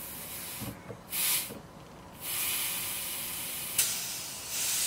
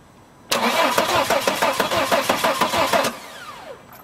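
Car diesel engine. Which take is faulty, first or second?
second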